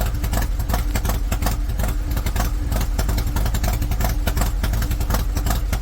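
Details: High-mileage Harley-Davidson V-twin with S&S 129 Power Plus kit, big injectors and kit cam, under load on dyno rollers after tuning: deep, loud, lumpy beat holding steady, no knocks or rattles; normal, 136 hp, 154 ft-lb.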